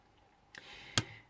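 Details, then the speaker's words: Blueridge acoustic guitar: two small dry clicks with faint ring from a loose press-fit tuner button rattling on its shaft; cheap hardware, heating turned off for recording. "so listen hear that and it's this guy that's loose now these guys are obviously like a pressed fit"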